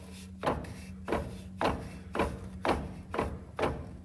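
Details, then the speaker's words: 2008 Dodge Ram 2500 with 6.7 Cummins turbo diesel bangs when put in any gear, but not in neutral. Hollow clunks about twice a second as the front driveshaft is rocked by hand; owner suspects slop in the transfer case chain; driveline clunk. "i put this thing in gear i hear it make it kind of a bang no matter what gear reversed or drive in neutral park it doesn't do it because you know your transmission's not engaged"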